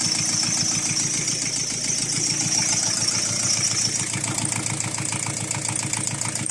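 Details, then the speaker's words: Chrysler Voyager 3 diesel idling for about 10 minutes before an engine flush and oil change: fast, even ticking about 3.5 times per second over the idle, suspected to be a knocking hydraulic lifter. "Ну, а пока дадим мотору поработать минут 10. Четко слышно, как стучит гидрокомпенсатор."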